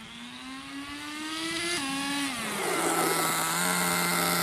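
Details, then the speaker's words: RC nitro car engine after over 2 years in storage, warmed up, running without body shell: high nitro buzz climbs then drops cleanly as 2-speed shifts into second gear; shift and idle healthy. "So the 2-speed shifts perfectly. Engine idles perfectly."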